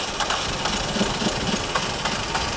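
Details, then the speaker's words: Engine cranking during an ignition coil test with an LED test light: the starter turns slowly and labours, about three compression beats a second, never catching. The battery is getting really weak. Slow cranking from weak battery. "okay and I also notice now our batter is starting to get really weak here"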